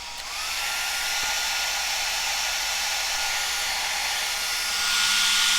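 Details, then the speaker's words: Cascade DS-925 hair dryer after repair: no-heat fault was a broken heating element connection, crimped back together, now heating fine. Steady airy rush with a thin whistle settling after startup, no rattle or cutting out; running normally. "the excellent seems to be working so that was definitely at the heating element had broken with a new reconnected it seems to be fine"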